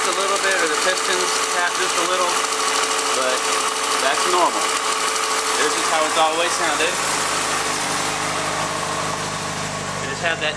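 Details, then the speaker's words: 2004 Yamaha FZ6, stock, about 19,143 miles, cold start on center stand: even steady idle hum with faint lifter tapping from the top end; normal idle. "this is how it is sounded since i bought it you can hear kind of the lifter just a"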